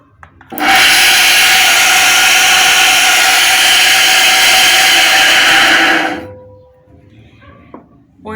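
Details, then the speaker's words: Centrifugal water pump that overheats and is very noisy, run on a test cable before repair: harsh loud rushing whir with raspy edge from badly worn motor bearings; bearings and seal replaced. "efectivamente ya por este ruido es los valeros, ya están muy gastados."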